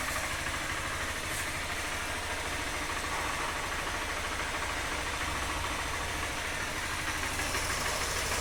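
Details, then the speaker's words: 2020 Honda Fan 160 after camshaft and rocker work and an oil change: smooth, even running with no ticking or knocking; the earlier engine noise is gone, normal running. "aí galera nada de barulho troquei o óleo tava muito feio aí a gente trocou o óleo de novo é o barulho sumiu"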